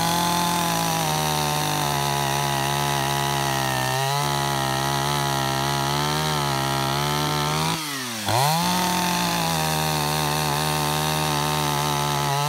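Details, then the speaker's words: Roughly 31-year-old Echo CS-550EVL chainsaw, tuned to 9,000 rpm, warmed up five minutes, sharpened chain, cutting wood: high, steady two-stroke scream that sags briefly under the cut and recovers cleanly. Healthy full-throttle cutting. "everything on this chainsaw works just like it did 31 years ago it cuts like brand-new"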